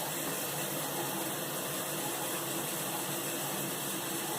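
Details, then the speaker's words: Nine-year-old LG washing machine after the screaming cold water inlet valve was replaced: a steady, even hiss of water filling, with no whistle or screech. The new valve is quiet and normal. "is where it was screaming before and that noise is clearly gone so there must have been something inside that valve that is much quieter"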